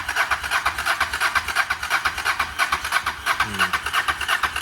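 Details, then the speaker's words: Harley-Davidson Dyna with a fuel pump that needs priming, cranked after sitting; steady starter chugging about three beats per second with no firing; crank no-start, no pump vibration felt, fuel pump suspected, not confirmed. "i don't feel the pump working so what we could do is unhook this and hook the fuel directly up to it"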